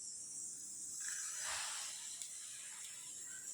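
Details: Pressure cooker boiling white peas on gas: harsh, continuous high-pitched hiss, stronger than a normal vent; too little water suspected, water then added; pressure cooker abnormal hissing.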